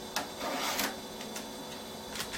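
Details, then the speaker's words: Compaq Proline 4/33 486, unpowered for over 10 years, booting with a hard drive failure: irregular clicks and short scraping seeks from the floppy drive with no steady read rhythm, retrying repeatedly. Floppy drive failing to read. "So we've got the hard drive failure there. That floppy drive is not happy, is it?"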